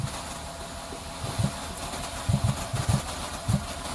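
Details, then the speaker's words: 2004 Ford Escape V6 idling with random misfire and P0355 ignition coil E primary circuit code; irregular low thumps and puffs as it backfires through the intake, whoosh at back of intake; suspected coil, plug, wiring or ECM driver. "But again, you can hear it. Like it's backfiring, misfiring through the intake."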